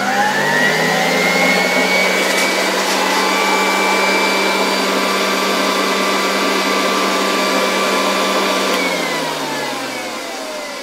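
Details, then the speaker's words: 1966 Alfa K2 type A7F vacuum cleaner with SK-5b motor, after bearing cleaned and regreased: high whine spinning up and coasting down with faint irregular ticking early in the suction fan, likely dirt falling out, then clearing. "Mam wrażenie, że pozbyliśmy się jeszcze na początku trochę to było słychać tego stukania w układzie ssącym. Jakieś zabrudzenia musiały tam chyba już wypaść."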